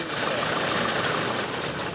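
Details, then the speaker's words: Engine on a farm machine with oil leaking, internal problem suspected: ragged choppy idle with uneven missing beat and harsh clatter, struggling to run when throttled; timing suspected, not advanced since no pinging, cause unconfirmed. "یہ ایک وقت کی طرح لگتا ہے جیسے یہ ہے یہ یا تو واقعی ہے [ __ ] یا میرا مطلب ہے کہ یہ ایڈوانس نہیں ہے کیونکہ یہ پنگ نہیں کر رہا ہے"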